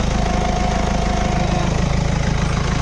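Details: Toyota Innova at idle, thin whine rising for about a second as the wheel turns then dropping; no oil leak or low fluid, steering not hard; power steering noise.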